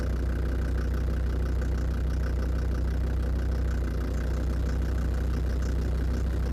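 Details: Land Rover Defender TD5 diesel at steady idle. A fairly regular light knock, roughly three per second, rides over the rumble. It was noticed after radiator work; the most likely suspect is faulty hydraulic lifters, unconfirmed.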